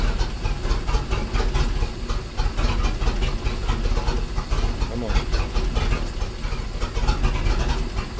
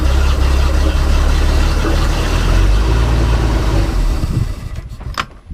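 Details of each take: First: Manta Ray boat with a MerCruiser 4.3 after replacing the fuel line and filter and the broken tee on the oil pressure sensor/safety cutoff switch: deep, even low thrum with no knocks or misses; running good. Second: Manta Ray boat with a MerCruiser 4.3, new fuel line and filter: steady low idle drumming for about four seconds, then falters and dies; stalling later traced to a broken oil pressure safety cutoff switch.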